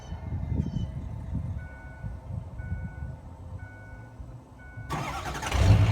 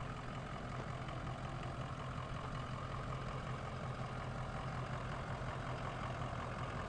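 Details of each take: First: Ford E350 Econoline 6.0 Power Stroke diesel van, cold start after long sitting: quiet seconds with faint chime, then brief cranking and clean start on its own battery power. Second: Ford Econoline E350 6.0 Power Stroke diesel cargo van on cold start, heard from a distance: steady low idle rumble, no knock or stumble; check engine light for cylinder 5 misfire, hesitation and power loss above 40 mph, but idle sounds fine.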